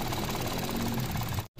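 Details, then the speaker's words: Mitsubishi Mirage three-cylinder shaking through to the steering wheel: low, uneven throbbing idle with shaky pulsing beat, felt even when pressed down; spark plugs suspected (pointed NGK versus rounded tip), misfire-type roughness unconfirmed. "Kahit idiin mo, rinig na rinig pa rin talaga siya. Oh, kahit idiin. Spark plug kadalasan ganyan."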